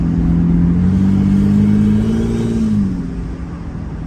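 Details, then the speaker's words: 1995 Taurus on a test drive after the high-pressure lines were tightened, engine not yet hot, not floored. The engine note climbs smoothly under light throttle and settles back without knocks or misses, almost diesel-like; normal acceleration. "runs good dude man it sounds like a almost sounds like a diesel she runs good"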